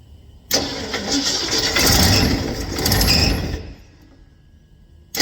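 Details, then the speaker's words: 460 big block truck that won't idle, battery cable warm but not smoking; labored, uneven cranking for about three seconds that sags and never catches, as if not enough juice to crank, cause unconfirmed. "Um the battery terminal isn't smoking now, but um it's like it just doesn't have quite enough juice to crank it."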